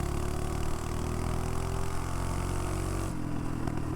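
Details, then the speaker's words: Mini bike with a Predator 212 single-cylinder engine under throttle: the drone's pitch sags instead of climbing and the whole bike shakes, then is fine once up to speed. The clutch was later found blown. Power loss under acceleration. "Yeah, it's like when I accelerate, it's like I'm losing power, and the whole bike like just shake."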